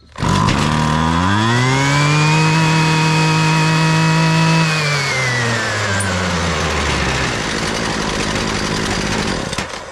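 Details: Husqvarna 128DJX 2-stroke string trimmer after carburetor replacement and new spark plug (bogging, no-start fault): climbs cleanly to a steady high buzz, holds without stumbling, winds down smoothly; normal running.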